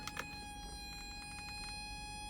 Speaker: Can you hear that? That very faint buzz basically means my battery's flat.